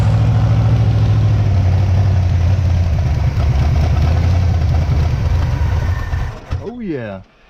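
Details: 1977 Pontiac Firebird V8 drag car revived after about 36 years sitting; idle screw adjusted down from high; deep steady lumpy idle, even firing, no misses or knocks; normal idle.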